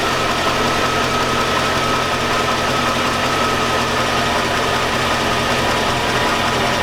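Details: 2002 Chevy Avalanche 5.3L V8. A steady idle carries a metallic clank tied to engine speed. The owner calls it rod knock from the bottom end, and three mechanics said the truck isn't worth fixing.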